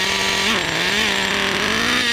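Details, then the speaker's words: Traxxas Nitro Rustler with TRX 3.3 nitro engine replacing stock 2.5: high, buzzy idle that wavers slightly and won't go lower; idle too high, running super rich, though pinch test shows low speed tuned. "It ran for maybe about 4 to 5 seconds. I cannot get the idle to go any lower than that."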